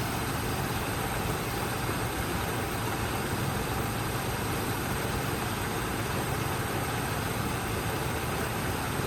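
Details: Long-dormant square-body Chevy plow truck started for the first time in decades: steady, even low V8 rumble with no skips or stumbles, a little smoky, idling smoothly and not missing.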